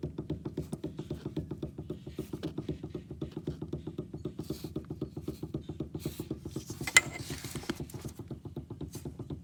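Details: 2010 Nissan Maxima with play in the steering wheel: rapid, dull clunks about four a second from the rack and pinion as the steering wheel is rocked quickly back and forth; owner asks whether the whole rack needs replacing.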